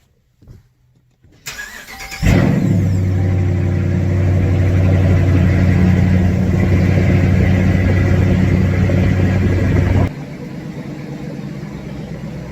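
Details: Dodge Challenger R/T 5.7 V8 cold start after installing BBK long-tube headers, with a check engine light on for the active exhaust actuator: a brief crank, then a deep, even V8 idle with no misses or knocks, a normal start.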